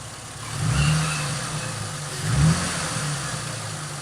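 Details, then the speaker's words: 2005 Ford Mustang, rebuilt and retimed engine after first start following 3 years sitting: two quick clean throttle blips rising and falling back to steady idle, no knocks or misses, smooth. "Hell yeah, guys. It's smooth. Really smooth. Sounds real nice."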